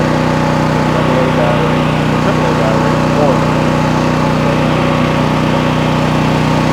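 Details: New Troy-Bilt XP 7000 W generator with Briggs & Stratton engine, first start on ethanol-free fuel with added fuel filter, before break-in: loud, steady single-cylinder drone holding even speed, no hunting or misses; normal running.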